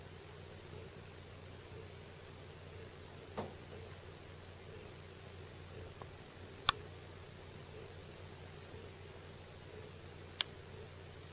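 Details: Sharp single ticks and knocks over a quiet low hum from house ductwork above the kitchen after a furnace cycle as the ducts cool and contract; thumping happens during and after furnace or AC cycles.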